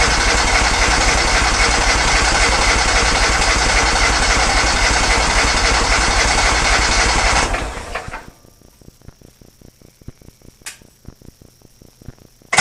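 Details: Kohler Command engine in a Cub Cadet garden pulling tractor after new fuel lines; it used to die out slowly at the track end. Loud, steady, even firing at a fast run for about seven seconds, then shutdown and clicks; healthy.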